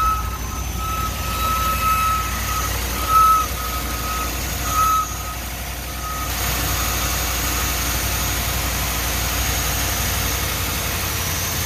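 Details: 2019 Ram 1500 on cold start at idle: thin high squeal chirping in and out; alternator, battery and battery sensor replacement didn't help, replacing idler pulley and tensioner together cured it; worn idler pulley or tensioner.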